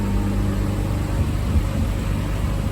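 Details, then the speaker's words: V6 (2GR) swapped MR2 idling after coolant bleeding, temperature good, cooling fans kicking in, bubbles diminishing: steady even low idle with smooth fan whir, no knocks or misses; normal idle with fans running. "Fans are kicking in. Bubbles are diminishing back here, so looking good, boys and girls."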